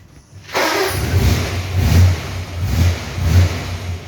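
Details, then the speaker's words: 1940s Hudson after exhaust repair on thin metal: engine fires and surges through several revs with a deep, even exhaust note, no rattles or leaks; sounds better, exhaust sound. "No, it does sound, well, obviously sounds better."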